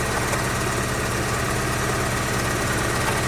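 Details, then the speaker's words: 2004 Daewoo Lanos, lumpy shaking idle with an uneven chuffing beat: misfire with cylinders 1 and 4 dead. The ignition coil tested good at 47 ohms; one plug measured 1.5 ohms against a 2–7 ohm spec. "Перевіряємо четвертий циліндр, чи він працює. Просто виймаємо. І нічого в нас не міняється. Автомобіль проїч. Цей циліндр четвертий не працює."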